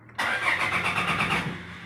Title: Toyota Fortuner 2015 (Crank no Start)